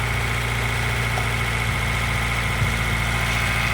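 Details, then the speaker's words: Honda CR-V petrol engine idling high, about 1,500 rpm, with a vacuum tester connected: uneven, stumbling beat under a steady whine, misfiring at idle and nearly stalling; codes just cleared, fault later found, parts awaited. "It is idling kind of high right now. Uh, you can probably hear it misfiring. If you can even hear me."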